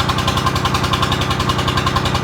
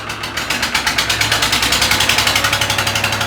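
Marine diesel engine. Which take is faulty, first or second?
second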